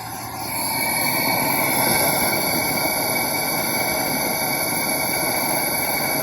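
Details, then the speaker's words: Toyota Tundra leak-down test, cylinder 5: a steady, even, rhythmless hiss as the cylinder bleeds air past the intake valves, a big pressure loss. Only the intake leaks here; cylinder 3 leaked at both valves. "Again, we have pressure and we have a big loss. And we can clearly hear it coming out of the valves, out of the intake valves here."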